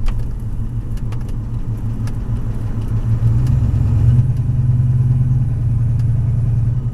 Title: whining noise of some sort